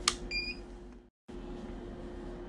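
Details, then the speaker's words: Birch Q3 receipt printer: a click and one short high beep over a low hum, error alert persisting with paper loaded and lid closed, traced to the paper sensor. "as you can see it's still beeping it's closed very well tightly there's a paper in it at the right position by so beeping"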